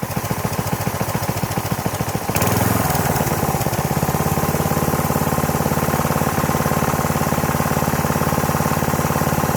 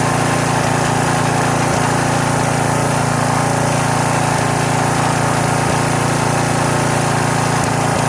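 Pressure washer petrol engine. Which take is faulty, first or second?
first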